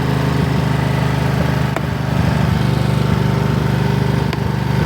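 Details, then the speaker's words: 2004 Husqvarna yard tractor that sat unused since 2014, now running and a little smoky from suspected old bad gas: a steady single-cylinder putter with occasional sharp backfire pops, cause unconfirmed. "I'm not too sure if you can hear me but uh it's running it'll just backfire sometimes"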